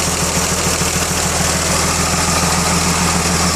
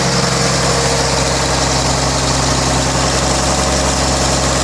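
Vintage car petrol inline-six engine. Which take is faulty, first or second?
first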